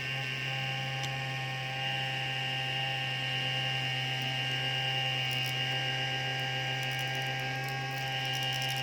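Steady high-pitched fan whir with a low electrical hum underneath and a faint uneven rattle, suggesting a worn fan bearing. Cause suspected, not confirmed.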